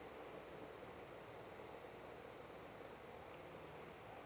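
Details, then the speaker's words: Yasaka standing fan that only spun when pushed by hand, after replacing the faulty capacitor: soft, steady airy whoosh with no hum, ticking or rubbing; fan now starts and runs smoothly on its own. "sekarang kipas anginnya sudah bagus ya dan coba akan kita matikan oke kita hidupkan lagi ya Oke sudah bagus ya kipas anginnya"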